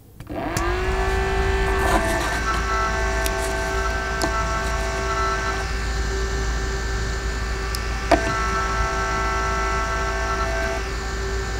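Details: APC Back-UPS 1600VA 900W (BX1600MI) with stock ADDA fan: loud, steady fan drone with a humming tone and annoying vibration, before replacement with a quieter Noctua NF-A6x25.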